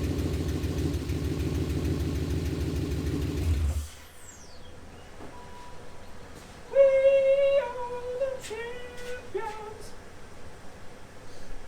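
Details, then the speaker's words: BMW 540i V8, first start after reassembly on old spark plugs. A lumpy, stumbling idle for a few seconds before the engine dies. Owner suspects a dead miss on one cylinder. Engine misfire. "Sounded like it had dead miss in it. Did you hear it? I heard it. Dead miss. Which I did use old spark plugs."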